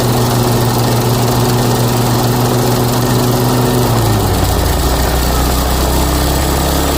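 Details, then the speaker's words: Toro Timemaster mower after blade spindle shaft, spacer and bearing replacement, smoke burning spilled oil off the exhaust. Small engine drones evenly, then drops to a lower steady speed with no knock or deck rattle. Normal running after repair. "Alright, so I call that a win. Go ahead and excuse all the smoke burning off the exhaust."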